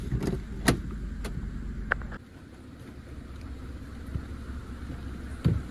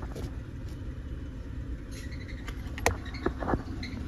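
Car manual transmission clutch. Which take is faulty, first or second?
second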